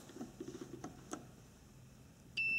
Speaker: okay here we go one lead on the bottom one on top there we go continuity if I reverse it does it make a difference